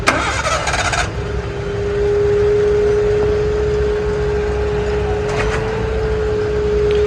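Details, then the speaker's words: Suzuki Cultus after a repair of the engine mount bracket and bolts (the engine had dropped): it catches after a short crank and settles into a steady, even idle without knocks or rattles. "Start ہو چکا ہے, سم start کھڑا ہے."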